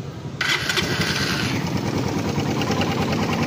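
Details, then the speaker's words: Suzuki Raider 150 carb engine, started and idling: loose metallic rattle from the engine, from a worn cam chain tensioner that is to be replaced. "kung mapapansin niyo May kalantog kalansing yan dito sa ng makina"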